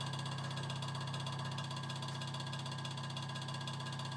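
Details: Early-1950s Vornado Jr. two-speed table fan with shot motor, suspected shorted windings, on low speed via rear speed coil: steady hum with rhythmic rattling pulse about three per second; worn, failing motor.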